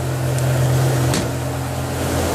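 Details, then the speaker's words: BMW E60 M5 V10 at idle after a recent oil change: low uneven drone, running on maybe six or eight cylinders, with the mechanic saying the entire right bank was missing; engine malfunction, power reduced warning shown. "if we go up front you can hear that it's running on six maybe 8 cylinders according to the mechanic it was missing the entire right Bank of the car"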